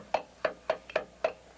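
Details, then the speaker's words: Rebuilt automatic transmission, torque converter turned by hand during installation: five sharp, dry knocks about a quarter second apart as the converter engages the pump gears, showing it is fully seated. "there are two methods that I use to make sure this converted us in all the way one is to listen to the punk gears as I turn the converter you can hear them knocking"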